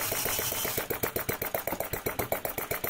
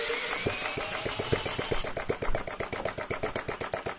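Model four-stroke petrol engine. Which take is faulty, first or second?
second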